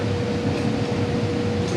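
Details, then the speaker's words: Condo furnace after routine maintenance (loose screws tightened, filter changed, air leak sealed with foil tape): blower gives a smooth steady low rumble and even hum, no rattles; much quieter than before, normal operation. "yeah a lot quieter yeah it is i'll wait for that blower to come on and better"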